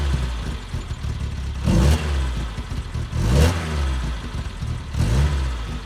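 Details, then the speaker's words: BMW with M10 four-cylinder engine, first start after about 1.5 years sitting, with rear end reassembled, new bushings, diff and exhaust fitted; runs with regular throttle blips, revving cleanly and settling without misses; normal healthy running. "Alright guys, as you can hear, that car is running. We are gonna go do a first test drive after a long time."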